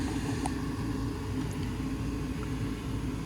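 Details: Lennox furnace after 80V to 120V board conversion, on heat call: steady low burner rumble with even blower hum, no knocks or rattles, not cutting off; normal operation.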